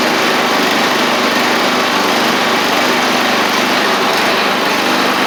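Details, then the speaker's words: Murray 24-inch riding mower, Briggs engine revived after water in fuel and rust, with motor treatment in the gas tank; small single-cylinder runs steady and even with a tiny surge at no load; normal running. "I mean it's still running good and you hear a tiny surge but remember this doesn't have any load on it right now"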